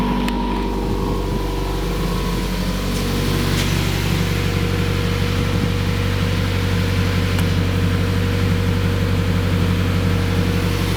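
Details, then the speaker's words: 2015 Subaru WRX idling after Grimmspeed J-pipe, boost control solenoid, TGV delete and charge pipe install, untuned: steady even low rumble, no ticking or puffing from exhaust joints; no exhaust or coolant leaks, runs smoothly. "Doesn't sound like any exhaust leaks. Sounds like it's running pretty good. No coolant leak there."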